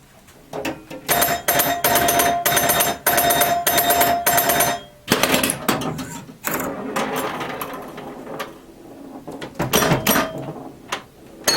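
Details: Restored 1977 Williams Hot Tip, Williams' first solid-state pinball machine: ringing chimes, sharp solenoid snaps and rapid score clicks in busy bursts as it plays through; normal gameplay.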